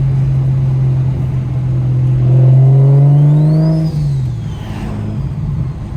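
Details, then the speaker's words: BMW 335 with newly installed Pulsar 6466 ball-bearing turbo, after the third Precision turbo blew, during a pull: rising whistle over the engine, then sweeping wind-down after lifting off throttle; healthy turbo spool and wind-down. "right there I don't know if you guys can hear that wind down that [ __ ] is just crazy"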